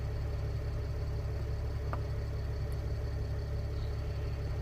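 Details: Mercedes ML320 CDI W164 OM642 diesel with codes cleared; steady even idle clatter with deep smooth hum and no knocks or misses, running normally.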